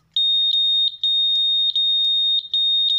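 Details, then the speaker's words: Honda Vario 150 smart key control unit (SCU), known-good unit tested: clean high beep repeating in short bursts, about three per second; normal pattern, unlike the silent faulty unit. "ini yang normal suu yang normal kalau kita cek dengan alat ini atau kita cek di motornya juga bisa tombol stter kita pencet dua kali gini itu normal"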